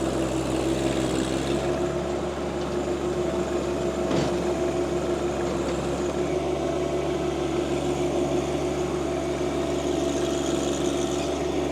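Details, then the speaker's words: Tarter RT205 rototiller on John Deere 2025R compact tractor, after top gearbox replaced (oil had leaked, gears seized): steady even drone, tiller churning smoothly with no knocking or grinding. "I had to get this top gear box replaced here um so that's all done $600 later and she's on ready to go"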